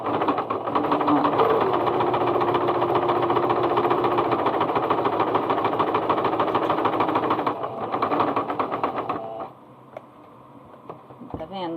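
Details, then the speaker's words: Singer Starlet 6680 sewing machine stitching cotton fabric at tension 4: loud clattering and knocking at a fast stitch rate, with a loose stitch, caused by lint and dirt buildup; the fix is cleaning. "aí vamos lá vamos mostrar como ela tá batendo e fazendo muito barulho"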